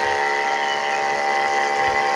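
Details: Mini 12 V DC booster pump with automatic well-pump switch: loud constant high-pitched motor whine with steady buzz, no surging or knocking; running normally under flow.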